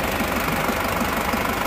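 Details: Isuzu Panther diesel, first start after an overheat seizure and rebuild with hard cranking: steady clatter with a fairly even knock at idle, no longer shaking; nozzles suspected not good. Cause not confirmed.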